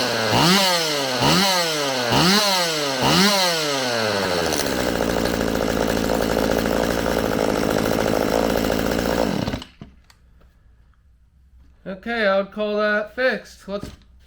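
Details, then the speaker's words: Stihl MS192TC chainsaw after cleaning the muffler, with the bar and chain refitted: quick throttle blips climb cleanly, then it holds a steady high full-throttle scream with no bogging; it runs normally. "now with the bar and chain on hopefully it's gonna run and idle good [Music] [Music] sounds good to me"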